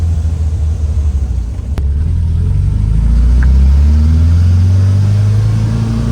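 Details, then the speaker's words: 1967 VW Type 3 Squareback, air-cooled engine, first drive after engine install; smooth note climbing evenly through the revs under load, no misses or knocks, feels more powerful than before, normal acceleration. "here we go guys I'm driving this quarterback seems to be running as expected look at that power baby"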